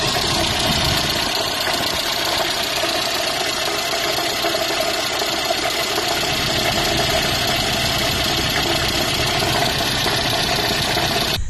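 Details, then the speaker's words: 1972 Datsun 1200 coupe running after long sitting; rapid irregular knocking over a busy idle, like rod knock, actually the crank pulley wobbling because its bolt was only hand tight and spun loose. "and what we discovered a friend of mine and i was that the crank pulley was hand tight and the bolt just spun loose right out the engine and was causing that noise for that crank pulley to wobble around"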